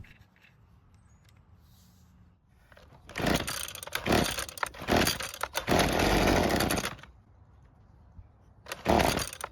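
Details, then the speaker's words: Used high-hours Husqvarna two-stroke trimmer, previously poorly repaired, after air filter box refitted: fires and buzzes a few seconds, sags and dies, briefly catches again; starts but won't stay running, stalling from lean low-speed mixture, L screw adjustment next. "So it is starting and running for a bit but it won't stay running."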